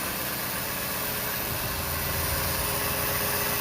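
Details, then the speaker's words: 1998 Ford 5.4 Triton 2-valve V8, near 200,000 miles, after replacing a bad coil (misfire with no codes), vacuum line still off: steady, even idle with a smooth beat and no stumble; runs well. "Now we do have a vacuum line off back there, but for a truck that's pretty close to 200,000 miles, especially for a 5.4 Triton, it runs pretty good."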